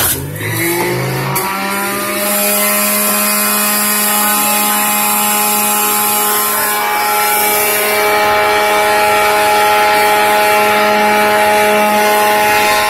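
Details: Home juicer juicing carrots, apple, celery and spinach: motor spins up in under two seconds to a steady, very loud piercing high whine, described as sounding like a locomotive; excessive motor noise.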